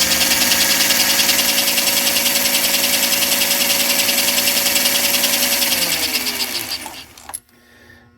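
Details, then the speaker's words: 1952 American Flyer #342 switcher after armature and commutator cleanup, new fingers, cleaned pickups: steady buzzing whine with brush hiss, RPM rising as brushes reseat, then pitch slides down and stops as power drops; motor runs smoothly. "that sound that the motor's making is a sweet music to my ears um and the RPMs are actually picking up just a little bit more as the brushes kind of reat themselves"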